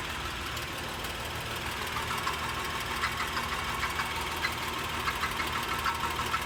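Uneven tinny rattle, roughly one or two per second, over a steady idle that grows slightly busier; source of the rattle unknown.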